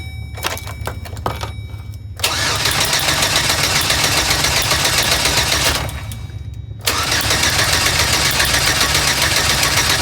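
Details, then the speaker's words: 4.3L Vortec with P0301 code after engine replacement, first start attempt: starter cranks at even fast rhythm in two long bursts with no firing; ignition coil plug was not connected, so no spark. "yeah the spark the coil plug is not connected that's why it won't start"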